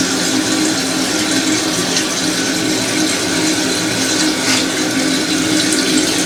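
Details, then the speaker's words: Toilet after replacing a fill valve that had been hissing and running nonstop. A steady, even rush of water filling the tank with no whistle, squeal or hammering, then it stops. Normal tank refill. "yeah let's try there's no noise right it's fresh"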